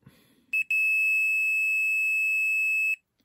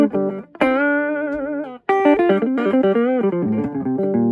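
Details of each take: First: Torque Acoustics T100L guitar amp (c.1989–early 90s) that powered on with no sound; multimeter continuity beep holds steadily for about two seconds across the 2200 µF filter capacitor; capacitor is a dead short though cosmetically fine. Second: Torque Acoustics T100L guitar amp, made in England around 1989 to the early 90s, after repair of a no-sound fault: clean, clear guitar notes with crisp attack and no hum or distortion; normal amplifier output.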